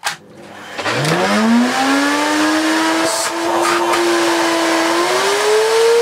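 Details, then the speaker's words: Miele S2111 vacuum, found dead, first run after repairing a broken solder joint: motor spools up to a loud rising whine, settles, climbs again; works but sounds terrible; owner suspects the dirty fan, carbon-brush smell noted. "my kids it works but sounds absolutely terrible"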